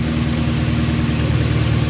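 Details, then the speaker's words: 1998 Ford Mustang GT, 4.6L 2-valve SOHC, idling after alternator replacement: smooth, steady low rumble with no whine, squeal or rattle at the engine front; old alternator made a loud racket, now quiet and healthy. "at oh it's nice and quiet up here the old one was making a hell of a racket and now it's nice and quiet"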